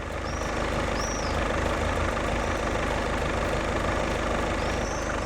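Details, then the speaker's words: VW Golf VII 2.0 TDI 150 hp, DSG, fully cold after sitting overnight, checked for dual-mass flywheel knock: even, soft diesel clatter at steady idle with no knock; normal cold diesel idle. "Ну що працює тихо не стукається вже добре значить а плюс 600 $ карман да тобто ну точніше не буде мінуса"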